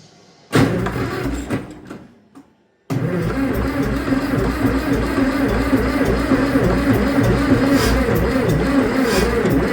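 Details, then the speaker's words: Starter turns slowly and unevenly at about three turns a second without catching on a long-sitting Farmall 650 tractor with fuel and spark confirmed. The battery runs down until it is dead. "Come on, girl. I run my battery down yet. Well, it sounds like she wants to go. Let the battery catch up."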